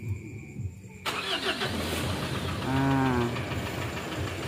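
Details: Mitsubishi Strada Triton common-rail diesel after injector cleaning, previously hard starting with long cranking and white smoke: starter cranks briefly, catches within a second and settles into steady idle; white smoke gone, though tapping noise remains, suspected at injector number two.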